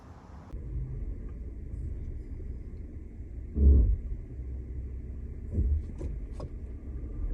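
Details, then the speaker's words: 2003 Mercedes W163 ML350 under quick acceleration: low drivetrain rumble swelling with a faint steady hum, the humming symptom of a worn transfer case chain, not yet jumping gears. "When it goes bad, you are hearing a homing sound when you do quick acceleration, or even worse, it will start to jump the gears, so you will hear sound."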